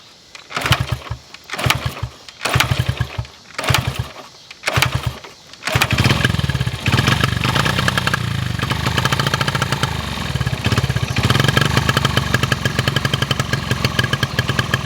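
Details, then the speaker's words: 1974 Honda XR75 after fitting a replacement carburetor; a few cranking bursts, then it catches and runs raggedly with a wandering, uneven beat, barely better than the old carb; owner suspects carb wear or rich/lean mixture, not confirmed: poor running. "it really doesn't sound much better than it did with the old carb"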